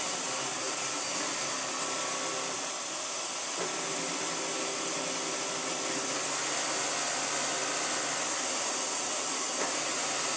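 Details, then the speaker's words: Vax Air Pet U88-MA-SE upright vacuum, stored in a shed about two years, first run before refurbishment: steady high roar with a faint regular flutter about four times a second as the brush roll wobbles; it sometimes temporarily re-centres itself. "Because I've had to have it out and back in again, I have sort of temporarily fixed it, but no, this thing is hiding a terrible secret inside of its brush roll. Ah, there it goes. Oh, it's centered itself now. Can you see it wobbling around?"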